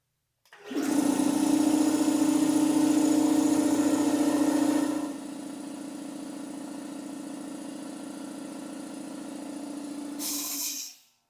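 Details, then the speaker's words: Free air compressor after repairs including a weld and a 15 A cord, first run: steady even pump drone about four strokes a second, pitch dropping slightly as pressure builds to about 60 psi; runs smoothly, holds air. "Looking to see if it holds air. I'm looking to see if it works. So let's go ahead and flip her on and we'll see what happens."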